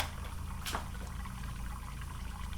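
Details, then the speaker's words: Junkyard 5.3L LS V8 leak-down test: soft wet gurgling and bubbling as air escapes past the exhaust valve into the soapy exhaust port. Leakage is 20–70% across cylinders, all via exhaust valves; carbon buildup suspected. "there you go you hear that gurgling in there all these bubbles so yeah definitely leaking pretty good there"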